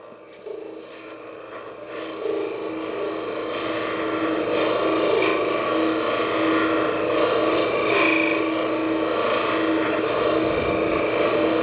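A steady, even rasp of a scraper cutting spinning wood, with a faint constant hum from the lathe underneath.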